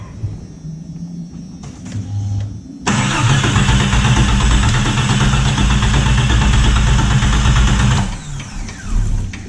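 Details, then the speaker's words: Jeep Cherokee, after computer reset three times, throttle floored throughout: starter churns steadily about three turns a second for five seconds, only coughs at the end. Extended crank, hard start. "oh it tried to kick at the end there"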